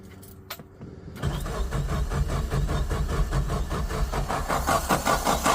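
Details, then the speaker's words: Suzuki Samurai with a new 4–7 psi inline electric fuel pump: starter cranks steadily, two to three beats a second, but the engine never fires. The pump hums yet moves no fuel up; suspected plugged fuel filter. "It's still humming away down here, but we are not moving any fuel up here. So we're gonna take this apart here. Maybe that fuel filter there is plugged up."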